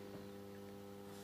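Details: Solis grid inverter under test and repair on low-voltage DC input emits a low steady electrical hum at constant pitch, quiet and even; inverter energised and running normally.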